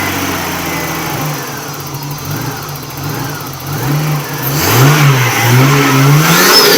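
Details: Nissan R31 RB30 engine after a bad misfire, attributed to a dirty distributor: a smooth, even idle that rises cleanly through a few revs and settles back with no stumble, shake or miss. The misfire is gone and the engine runs normally.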